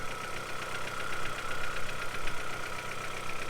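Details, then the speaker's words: Low-mileage turbo petrol car, engine cold at idle: fast, regular light knocking rattle of piston slap from too-loose piston-to-wall clearances; it is barely audible once warmed up. "like it's on your cup more Pistons but once that's warmed that once the cars warmed up you're barely gonna hear that"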